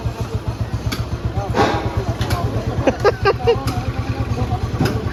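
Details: Restored Bullet Machismo 350 AVL, engine rebuilt after seizing from water, started with no battery fitted. A slow, even single-cylinder thump idling quietly, heard from a distance, with no knocks or rattles: healthy.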